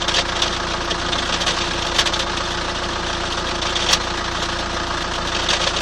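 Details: 2003 Chrysler Voyager 2.5 CRD diesel idling steadily with sharp irregular knocks and clacks above the clatter; abnormal internal engine knock, source not yet pinned down.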